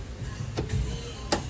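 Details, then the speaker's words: About 2007 Chrysler Pacifica on a lift after shop suspension work: sharp, uneven metallic clunks as the suspension is rocked. The newly fitted suspension parts were left untightened, matching the noise heard on the test drive. "do y'all see they didn't even type does this folk loose they didn't even tighten it it's all new parts this that's the noise i was hearing on the test drive"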